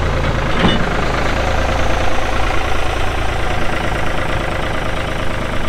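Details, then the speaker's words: 1999 New Holland TN65S 4WD tractor, diesel, 4,162 hours: brief start catch, then a deep, even diesel rumble with no knocks or misses; normal start and idle. "like I said AC is blowing cold Hydraulics are strong engine sounds good"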